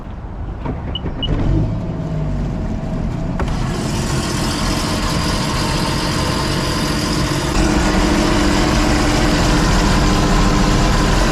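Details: 2016 Sea-Doo RXT 260 after fitting a newer-style carbon seal in place of the discontinued OEM one, started at the lake to check for leaks. A few clicks, then a steady, even idle with a smooth low hum and no misses.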